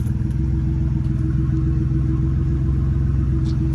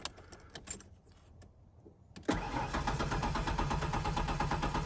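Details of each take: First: 1992 Ford Ranger XLT, 243,000 miles, just restarted on a replacement Mustang fuel pump: smooth, steady low idle with an even pulse and no sputter or hesitation; the engine is running normally. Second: 1992 Ford Ranger XLT, 243,000 miles, fitted with a Mustang fuel pump, injectors heard clicking: steady starter cranking about three turns a second for nearly five seconds, no firing; cranks but won't start, suspected no fuel.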